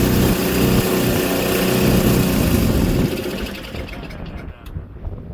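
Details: Auction-bought Craftsman Series 2 snowblower after checking points and ignition continuity: engine catches and runs with steady fast pop for a few seconds before dying down; starts and runs.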